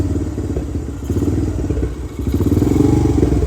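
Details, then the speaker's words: 2017 Honda TRX250X ATV bought for rebuild, started on choke with thumb throttle: runs with light throttle but on release the single-cylinder idle stumbles unevenly, sags and nearly stalls with scattered backfire pops; won't hold idle. "and it's backfiring is"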